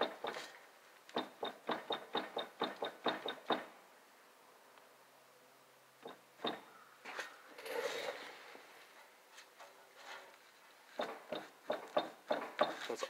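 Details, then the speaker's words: Mitsubishi Evo 8, about 111,000 miles, likely factory driveshaft, in neutral with shaft turned by hand: quick runs of light hollow clunks, quiet between turns; owner suspects carrier bushings or rubber isolators; clunk also heard when shifting, source unconfirmed. "sometimes when i shift i'll get a clunking noise that almost sounds like it's coming from the rear end back here"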